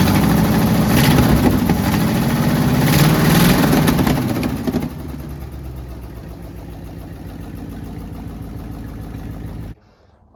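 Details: AMC 327 V8 Jeep revving with a loud raspy ticking puff that follows engine speed, then a quieter idle; badly leaking exhaust manifold gaskets before replacement, heavy soot at every port gap.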